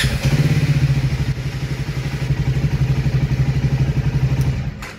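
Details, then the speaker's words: Triumph Speed 400 single-cylinder after issues fixed (previously often failed to start on first press): now starts first press and settles into an even, steady beat of about four pulses a second before shutting off; normal running. "இப்போ பாருங்களேன், first இதிலே start ஆகிடுச்சு."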